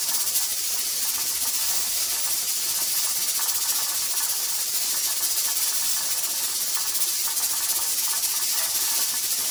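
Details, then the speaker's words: Pressure canner processing tomato sauce, before the 10-minute timer starts: constant, even steam hiss through the regulator weight with no pauses; regulator rocking steadily. "Okay, so I feel like that this is a steady rock. I haven't seen it really change up or do anything crazy."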